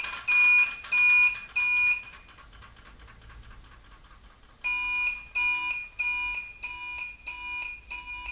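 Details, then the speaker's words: Newly replaced blinker flasher relay on a bobber motorcycle, tested before reassembly: loud, sharp, high beeps in even bursts, roughly ninety-odd a minute, in step with the indicators; the relay works but sounds terrible, later quieted somewhat with electrical tape. "all right well works but thanks terrible sound"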